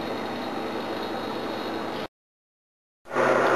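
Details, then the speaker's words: GMH 308 refrigeration unit running after coil cleaning: steady airy hiss of refrigerant through the coil, likely low on gas, compressor barely showing superheat; dirty coil probably pushed head pressures up. "I'd say it's low on gas. You can hear it actually going through the coil in here, it's hissing away."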